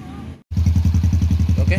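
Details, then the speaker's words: Honda Revo FI fuel-injected motorcycle after fixing faulty TPS output voltage, which had caused rich fuel, fouled plugs, no stable idle and severe stumbling when revs held: now even steady idle, no misses; running normally. "sudah hidup normal ya bisa teman-teman dengar untuk suaranya Udah enggak breerebet lagi ya"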